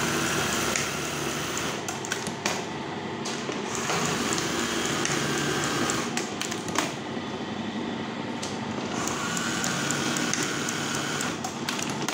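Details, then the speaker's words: Brother 814 buttonhole machine set to 46 stitches so not very fast, upper knife not yet fitted, motor rewound the day before: quick, even ticking about four per second with a light whir, described as smooth; normal running. "suara mesinnya halus cuman ini kan akhirnya juga kirim nomor 46 ya jadi enggak begitu cepat"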